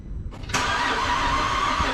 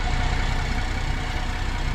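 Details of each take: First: 2010 Holden Commodore VE SV6 3.6 SIDI after fuel injector replacement: starter spins evenly for about eight seconds but the engine never fires; no-start traced by scan tool to a failed ignition coil. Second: 2010 Holden Commodore VE SV6 3.6 SIDI after fuel injector replacement and swapping a faulty old ignition coil back out for the new one: even steady low idle, smooth unbroken rumble, no misses; runs cleanly.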